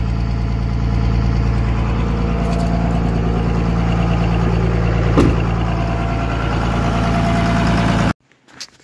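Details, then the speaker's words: Ppumped 24-valve diesel, pin-timed plus a couple degrees: steady, even idle with low regular beat, no knocks, a little smoky; runs better than before but idle speed needs adjustment (ran about 1000 before). "good I pin timed everything and then we gave them a couple of degrees it definitely needs an idle adjustment but besides that he said it ran a thousand before sounds like it runs better than it did last week"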